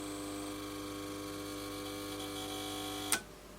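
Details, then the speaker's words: HP 8901B modulation analyzer powering up after a fuse was replaced with a 2 A one: steady electrical hum with high whine, display flickering, tries to start then cuts off with a click; power supply fault. "yeah she ain't happy looks like power supply faults so at least we know what to do with that"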